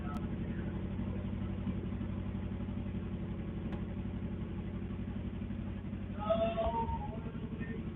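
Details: Subaru after oil change, on jack stands in neutral, oil pump primed first: steady even idle with smooth low burble, no knocks, ticks or misses; engine running healthy.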